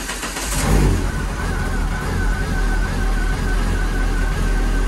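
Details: Renault Clio 182 race car after radiator replacement and kill switch swap: fuel pump and dash come on, then the engine catches and settles into a steady, even run with a smooth low drone and faint constant whine, no knocks or misfires; normal.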